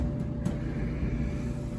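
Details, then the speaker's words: Whirlpool Duet dryer on day 3 of near non-stop running after a main control board relay replacement and connection repair: even low drum rumble and faint hum, no F01 or F70 errors, running normally. "It's been day 3 with our dryer running pretty much non-stop."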